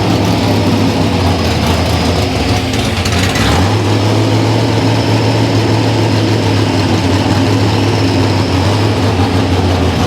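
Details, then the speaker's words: V8: deep idle with an uneven, lumpy beat and a throttle blip; running poorly while carburetors are tested, timing falling off at the bottom end. "testing carburetors actually uhing here but what's happening is we are losing our timing on the bottom"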